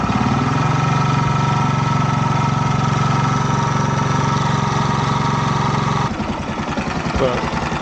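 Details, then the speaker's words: Yamaha YZF R125 under crash-damage rebuild, warming up after a cold start: steady, even single-cylinder idle with no knocks or misses, then it drops off; running nicely, no oil leaks, only engine mount bolts need tightening. "well than that the engine is running quite nicely yeah no signs of oil leaks"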